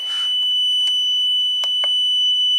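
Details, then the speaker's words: Smart jump starter during a cranking torture test, after about 3–5 seconds of cranking: steady thin high-pitched alarm beeping with faint clicks; jump starter alarm beeping. "so smart jump starters are sometimes you know too smart for their own good so once that happens it seems like you have to disconnect and reconnect the main"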